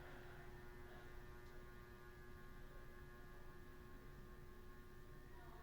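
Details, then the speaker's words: Vintage 80s/90s 38-inch Hampton Bay Southwind ceiling fan on medium via a dimmer-like fan control switch: steady electrical hum with buzzy edge from the motor; slow spin and slight wobble, owner suspects bearing problem. "Here's the medium. You can hear the humming now. Wow. You hear the humming? It's on a dimmer."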